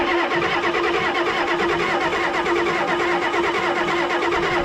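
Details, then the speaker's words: Long-dormant Ford 6.9 IDI turbo diesel, freed with penetrating oil, injectors removed, turned over on starter: fast, steady whirr with even rhythm and no binding; turns over freely and evenly. "that sounds pretty even"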